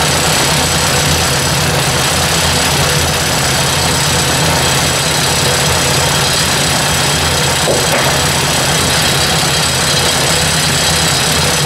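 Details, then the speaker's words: Ford 800 tractor petrol engine idling with the cover refitted, a little smoke: steady idle with a light, quick tick, loudest toward the back of the cover. Source not yet confirmed at this point. "definitely something back in here is a lot louder it's testing and it's pretty quiet up here until we get to the back here cover's making noise but definitely something ticking"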